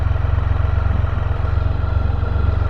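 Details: Idling: even, rapid low thrum with a steady beat, no puffing or ticking; clean, healthy running.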